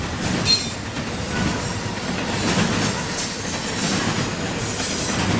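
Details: CSX intermodal freight train passing by in Georgia: a loud, piercing high-pitched wheel screech rises and fades over the rumble and clatter of the railcars.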